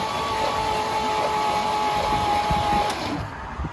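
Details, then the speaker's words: Chevy C30 square body Mason dump after an under-hood fire, cranked by a booster pack wired directly to the starter with the battery disconnected: even, strong cranking at about four compression beats a second with no drag. "Nice strong crank."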